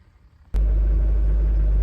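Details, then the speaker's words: 2005 LLY Duramax diesel regular cab, 168,000 miles, first start after replacing the fuse box and fuel filter, priming, and repairing the faulty FICM: catches abruptly and settles into a smooth, even diesel idle with no misses or knocks. "so we've got 168,000 mile LL regular cab Duramax running and it doesn't sound like a tractor"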